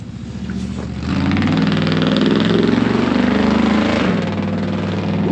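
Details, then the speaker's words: V8 truck after a new exhaust fixing the exhaust leak and an ignition system change, timing still slightly off: deep, even rumble that climbs cleanly on throttle and no longer breaks up; smooth running under throttle. "That was better. That's way better. It's not breaking up like it was."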